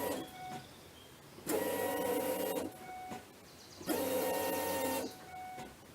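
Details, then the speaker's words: Mustang with a newly fitted fuel filter, key cycled several times: two steady, roughly one-second electric fuel pump buzzes with gaps as it primes; the first cycles sound different while filling the filter, and there are no leaks. "the first time it's going to sound a little different here yeah it sound like the pump was pumping and it was up the filter"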